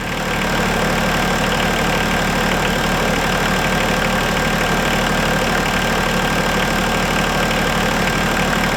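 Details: Diesel tractor idling after antifreeze refill and bleeding: steady, gritty low rumble under the clatter; worn water pump bearing with fan play, new pump to be fitted over winter.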